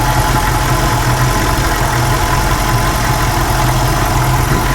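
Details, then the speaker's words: 1995 Mustang GT 5.0 302 at idle, heard at the front of the engine: steady idle with a faint fast diesel-like clicky tick; owner suspects an exhaust manifold gasket or cat leak, cause unconfirmed. "but when I go around to the front I've got like a dies clicky engine noise coming from the manifold gasket I think"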